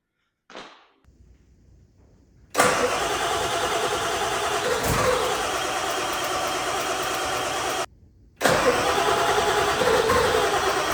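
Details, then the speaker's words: Ford F350 7.3 diesel barn find: long steady starter cranking with occasional puffs that never catch; stale diesel, glow plugs switched on manually, injectors firing; hard start, cause not confirmed. "I've been manually turning the glow plugs on with a screwdriver with the key off, then jumping in, turning it on, waiting, cranking, and it it's burping."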